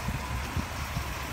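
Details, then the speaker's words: 1989 AA catering truck with rebuilt engine and transmission: low, even, quiet idle thump with a soft regular pulse and no knocks, ticks or rattles; engine running smoothly. "if you listen closely you'll hear the engine running because it has been rebuilt um it it's quiet I mean it does not sound like it's a 1989 by no means"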